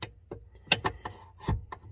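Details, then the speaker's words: 2006 Lincoln / Crown Victoria upper steering shaft repair: a few sharp, irregular clunks as the loose upper shaft falls against the lower shaft during reassembly; worn, sloppy shaft. "that's why i couldn't get the this bottom shaft i couldn't get it in all the way because it was going over top of the other one and getting jammed in there"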